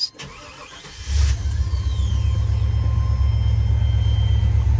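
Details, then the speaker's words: 1994 Chevrolet C30 3500, 7.4 L 454 V8, 27,581 miles, 262 miles after head gasket replacement: catches after a short crank, settles into a deep, steady, even idle, no knocks or misses; normal start and idle. "27581 miles and I've put let's see here 262 miles on it since I changed the head gaskets still running good"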